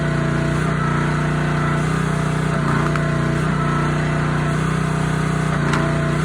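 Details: Honda GX160 on a SplitFire wood splitter after carb cleaning and oil change for bogging and stalling when splitting, test-splitting wood: firm, even beat pulling steadily, slight dips as wood splits and clean recovery; running healthy under load.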